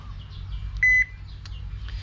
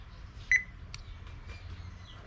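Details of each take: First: Repaired Toshiba washing machine control board, fixed by jumping a single wire after the relay failed to engage (turned on when pressed, died on release): single clean electronic beep and the board stays powered; normal operation. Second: Toshiba washing machine control board that turns on while the button is held but dies on release: three short high beeps about three seconds apart, and the relay does not energize; 5 V/12 V likely present, relay supply suspected missing.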